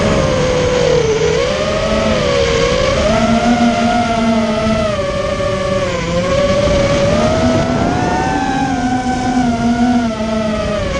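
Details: Immersion Vortex 250 Pro motor test run after trying to fix bad bearing sounds: a steady buzzing drone rises and falls with throttle, with no grinding or scratchy rasp, so the bearings sound healthy. One motor feels barely warm and the others are fine.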